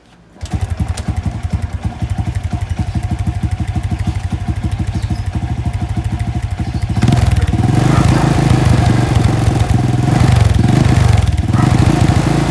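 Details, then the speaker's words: Honda Wave 125 engine found with no oil; a shop's carb, valve and timing chain adjustments did not cure the noise. Low, uneven thumping with rough clatter that worsens with revs: damaged cylinder block and piston. "So, no doubt yung tama nun is yung block and yung piston."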